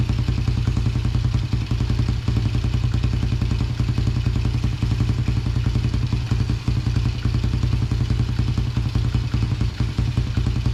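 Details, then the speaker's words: 2000 Yamaha TTR90 single-cylinder dirt bike, carburetor refitted after falling off, airbox off: rapid popping beat that stumbles briefly when opened up, then picks up; slightly doggy on hard throttle, lean running suspected without the airbox. "that seems okay it's a little bit doggy when you first hit the throttle hard but it doesn't have the airbox on there so it might be running kind of lean yet"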